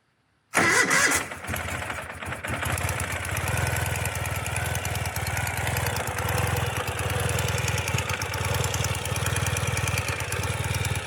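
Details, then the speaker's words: 2017 Ural cT twin after Keihin Gen 2 EFI upgrade, first proper start with possible air still in fuel lines and injectors: cranks, catches with a quick rev, then settles into a steady, even idle with no misfire; normal start and idle. "doesn't sound too bad for a first crank oh i forgot to hook up my sidecar break yeah i'll grab that"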